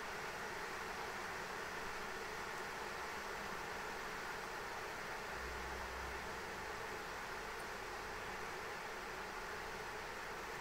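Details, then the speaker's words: ASUS ROG Strix RTX 3090 in Time Spy benchmark, ramping to 100% fan speed at 77–79°C, GPU clock about 1950 MHz: constant airy whoosh drowning out coil whine, no pitch change or rattle; fans at full speed. "the fans are so loud you can't even hear the coil one so you know yeah this thing's just ramping up to 100% fan speed man"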